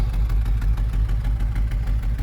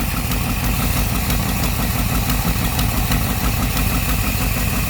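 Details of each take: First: 1964 Ford Thunderbird V8 after moly engine flush and lifter additive (lifter tick improving): deep, steady idle with even, loping pulse, no knocks, misses or rattles; idles just right, no smoke. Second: 1964 Thunderbird V8 at idle after an engine flush and lifter additive: faint light tick over a low rumble, improving. Slight lifter tick.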